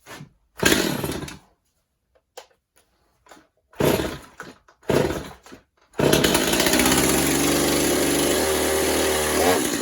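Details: Stihl MS250 chainsaw after drum sprocket and air filter install, bar and chain refitted, low fuel: pull-start tugs, then catches and holds a steady buzzing idle with no clutch rattle; normal running.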